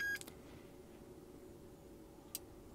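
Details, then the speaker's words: Clone GM Tech2 scan tool with CANdi interface module after replacing faulty CANdi connecting cable: single short power-on beep then sharp relay clicks over faint hum, module now recognized. "okay I can see the light on I can hear it clicking and perfect candy module attach so we fixed this problem by replacing this cable"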